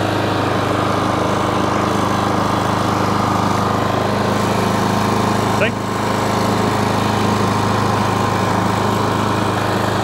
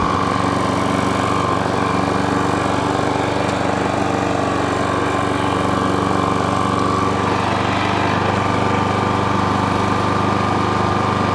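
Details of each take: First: Self-propelled lawn mower after its drive cable was adjusted at the brass collar. The small single-cylinder engine chugs steadily but slightly unevenly with no load change, and the carb wants a bit of a tune; carburettor out of tune. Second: Self-propelled lawn mower running with the drive engaged, after its drive cable adjustment. Steady, even engine drone at constant speed with a faint whine; the drive is still a bit tight and possibly has a new belt. Normal running.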